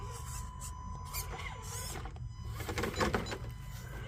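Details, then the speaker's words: Whine persisting from a Radiolink Cool 9030 V2 90A brushed ESC driving a rock crawler on a backyard course: thin, steady high-pitched switching whine under motor and outdoor noise; the new version still whines. "I can still hear the whine. That's something that I do wish would have went away."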